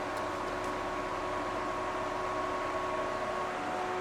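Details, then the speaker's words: 2010 BMW 535i E60 started after intake valve walnut blasting and fuel system chemical cleaning: loud, steady rushing roar of the cooling fan stuck at full speed; owner unsure whether it thinks it's overheating. "For some reason, it's got the fan on full blast. I don't know if it thinks it might be overheating, but yeah, you can hear it, it's really loud."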